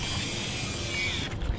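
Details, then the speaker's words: Contax T2 compact film camera after loading film and closing the back: short steady whirring motor burst with faint ratcheting, then soft stop as counter shows 01. Normal motorized film advance. "Now it tells you 01, 01, and you can shoot away."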